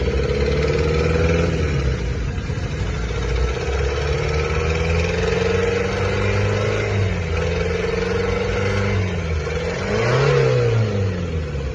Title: how to check engine bad noise 🛠️❌ #mechanic #shorts